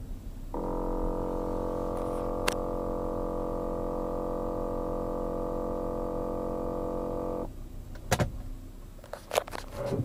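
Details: 2007 Volkswagen Jetta: loud, steady "brrrr" buzzing drone from the front passenger side, starting abruptly and cutting off; air filter replaced without helping; source not pinned down.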